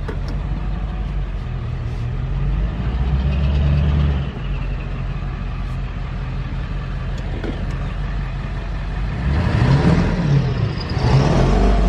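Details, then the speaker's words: Straight-piped dually diesel, just after the straight-pipe exhaust install: the loud open-pipe engine idles steadily, then stumbles and breaks up when revved. Owner suspects it is still misfiring under throttle, possibly causing smoke; at idle it sounds fine. "it still sounds like it's misfiring a little bit that could be you know causing the smoke when I live it but like an idle there's nothing it's only when I read it so maybe it's still misfiring"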